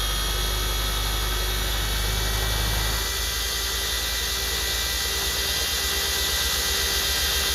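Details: RC car 3D-printed "Frankenstein" differential fitted with nylon gears on the workbench: steady high whirr from motor and gears, with a rougher buzz once the throttle opens fully; no clicking or skipping, gears intact on this run.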